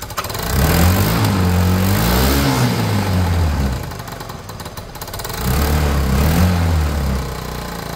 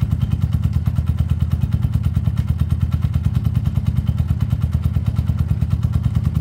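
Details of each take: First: Peugeot Tweet 125cc scooter after new top end: revs up and back with a loud raw puffing blow following the throttle; exhaust pipe and EGR recirculation flange not yet connected or bolted, so leaking from there; possible gasket blow to check after sealing. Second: Peugeot Tweet 125cc scooter with new top end fitted: owner says earlier it took ages to start after sitting; automatic choke connected. Low steady thumping beat around three per second, even without cutting out or hunting; running normally.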